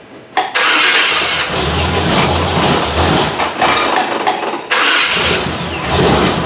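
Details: 1977 Malibu V8 cold start on a cool day, in neutral, new distributor just fitted; brief starter whir, catches at once, settles into a firm steady fast idle and takes a clean blip; oil pressure about 60–68 psi; normal.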